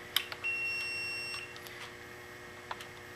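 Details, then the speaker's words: Relay normally-closed contact test with the meter probes on common and normally closed. A steady continuity beep sounds, then cuts off as the relay clicks over when a momentary switch energizes the coil. The contact is working normally. "You can hear the relay clicking. So, we'll leave this guy on the common and we'll put the red probe on the normally close. Press the switch and notice that continuity goes away."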